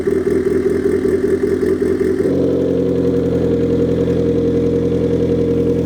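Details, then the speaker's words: Rebuilt high-compression turbo Mazda Miata warming up, downpipe and intercooler pipe not yet connected: brief higher rev, then an even, settled idle with no misfire or knock. Running fine. "A little bit of heat in it, but nothing crazy. Sounds like it's running fine."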